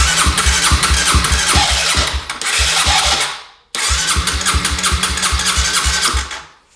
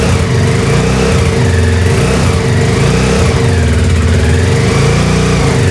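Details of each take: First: 2007 Honda CBR125R that sat outside two years, cranking on a cleaned fuel pump: two cranking bursts, starter turning steadily about four beats a second, engine never catches; fuel not being delivered. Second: 2007 Honda CBR125R, revived after sitting outside two years, running after a missing seal was fitted and fuel pump trouble addressed: small single revs up and down, then steady, even running with no misses or knocks; healthy.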